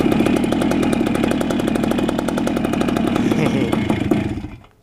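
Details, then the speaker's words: 1976 Honda MR175 Elsinore two-stroke, first run after engine rebuild: uneven buzz at fast idle that sags and dies within a second; won't idle even with idle screw all the way in; cause unknown, adjustment pending. "It won't idle, even though I have the idle all the way in. I'll have to mess with that later though."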